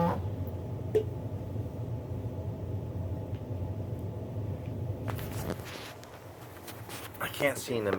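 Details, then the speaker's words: Stepper motor powered on and commanded through Mach 3 via a breakout board: steady low buzz with no pitch change while the motor stays solid and does not turn; owner suspects wrong wiring. "But it makes a real strange noise when I try turning it."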